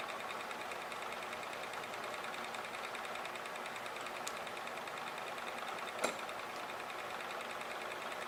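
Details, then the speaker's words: Lifter gravity-storage machine's small wheel spinning freely at about 590 rpm, unloaded before a magnet light is added: light, even whirring hum at steady pitch, no rubbing or knocking; normal free spin. "like about 590 rpm so that's pretty good"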